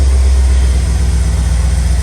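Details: Holden VT Clubsport V8 (rebuilt crash car) on cold start: deep, smooth, even idle with no ticking; the lifter that was stuck and ticking until the coolant temperature rose the previous day is now quiet and healthy.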